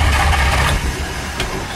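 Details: Shelby Daytona after sitting three months, cold hard start, good battery, full tank, smell of gas: a low, steady churning as the starter spins the engine over and it never catches; long crank with no start.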